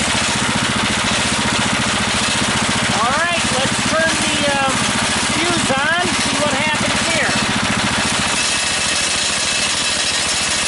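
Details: DC generator engine at 1100 RPM (1300 maximum) with about a 4,000 W load, output reading 141: a steady, low, even drone with a slightly laboured beat. The engine is labouring under heavy electrical load.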